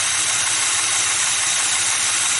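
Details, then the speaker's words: Rebuilt engine with Edelbrock carburetor: the whining metal-on-metal noise was a squeaking fuel pump diaphragm. With that pump now disconnected because of water in the tank, an even, quiet, steady idle with a light hiss and no squeak or tick. "noise is gone this engine just as quiet as she can be it was all just a squeaking diaphragm on the fuel pump"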